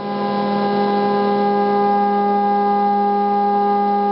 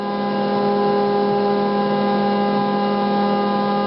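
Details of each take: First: Gecko G540 stepper drive trim adjusted by ear with a plastic screwdriver: loud steady singing tone from the stepper motor swells as the trim drifts, then is turned back and forth until the motor runs as quiet as possible; mistuned drive trim noise. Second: Stepper motor on a Gecko G540 drive after trim-pot tuning by ear: steady even hum holding one low pitch without buzzing or rough pulsing; motor running as quiet as possible, well tuned.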